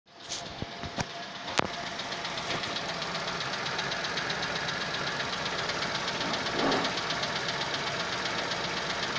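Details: Chevrolet Onix 2021 LS 1.0 engine at first cold start of the day; fast, uneven light ticking over a steady idle, owner suspects abnormal and car is at dealer for inspection — cold start engine noise.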